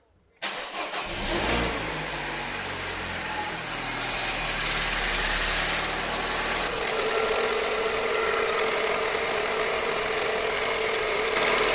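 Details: Peugeot RCZ THP 200 cold start: engine cranks and catches, then high cold idle with a fast, steady rattle over the top; cold start rattle.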